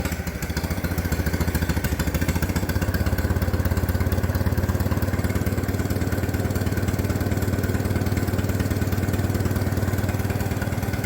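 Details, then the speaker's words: Minneapolis Moline BF tractor after in-frame rebuild for blow-by, out of gear, choke on, no exhaust or muffler fitted: loud even open-pipe chugging about 220 beats a minute, no misses or knocks; runs cleanly. "Sounds pretty good. That's what she sounds like without the new exhaust."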